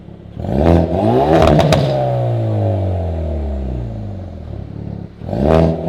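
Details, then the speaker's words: Hyundai Veloster N with Depo Racing catless downpipe and JB4 tune, in N mode, heard inside cabin: loud raspy exhaust rising and falling through revs, crackle on lift-off, no leak puffing or ticking; normal exhaust note. "Alright boys, so this is what it sounds like in N mode. Loud in the cabin."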